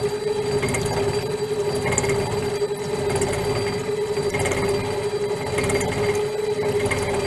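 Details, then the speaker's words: Shaper-tool internal cutting bar being horizontally milled; steady ringing with heavy rhythmic pounding as the cutter chatters, vibrating and hammering through the cut; runs better once more teeth are in contact. "Creating quite a bit of a vibration, you can hear it hammering."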